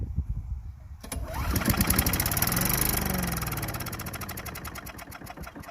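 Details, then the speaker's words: Craftsman Eager 1 4hp chipper vac (987.799790), been sitting, second try on starting fluid to blow out water: quiet cranking, quick popping beat swells, slows and fades. Fires briefly then dies, owner expects it to start. "Alright, looks like it'll start. Looks like it had a little water in it."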